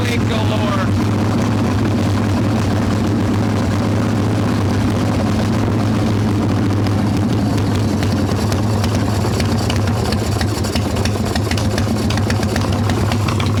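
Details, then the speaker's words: Hot Evo Softail V-twin carb engine with choke plate off and mixture screw about one turn out: loud, lumpy idle that never evens out. Intake air leak found as loose intake bolts and a cracked vacuum cap. "definitely have a leak on the intake somewhere and we'll try and get this started"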